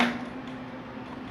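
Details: Soft-serve ice cream cone machine, Italianinha brand, production motor switched on: steady low hum with no run-up or spin; stalled motor buzzing but not turning, later traced to a missing phase from poor supply cable contacts.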